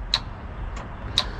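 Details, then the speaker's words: Mercruiser 4.3 in a 1996 Wellcraft Eclipse boat, sat 18 years, previously seized: two sharp solenoid ticks about a second apart with no cranking; starter not turning, solenoid clicking. "which solenoid is ticking because there's that one and then there's something on the side"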